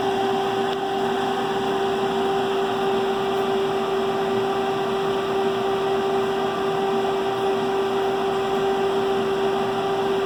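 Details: 40 horsepower direct-drive fan motor speeding up and slowing down: steady hum with a rough, gritty rumble from rust in the bearings after sitting for an extended period.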